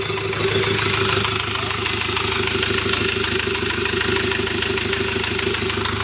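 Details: Hyundai Porter with the D4CB CRDi diesel, after fixing an immobilizer crank-no-start. Steady diesel clatter holding an even beat of about three pulses a second, with no misses or hunting; a clean, healthy idle.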